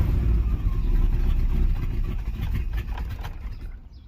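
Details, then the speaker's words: 305 H.O. small-block Chevy, cold first start of the day at 61°F, choke open: low uneven rumble sags and slows over about four seconds until it dies when throttle released; must hold gas to keep running. "Dying. So I'm gonna leave it started this time, holding the gas down."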